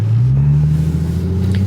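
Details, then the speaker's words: Infiniti G35 sedan, rear-wheel drive, VQ35, driving after a driveshaft fix cured a driveline vibration; deep even exhaust drone under light throttle, slight exhaust vibration only, no rhythmic thump or shudder, driveline smooth. "um but otherwise there's nothing that I would say is a problem and I would say the drive shaft fixed our issue"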